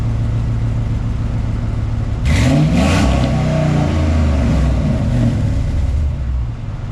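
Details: 2004 Dodge Ram 1500 after a replacement exhaust, using parts from a 2003, was welded in (pipes still to finish): deep steady idle, then a couple of quick revs rising and falling smoothly before settling back; exhaust sound and leak-free.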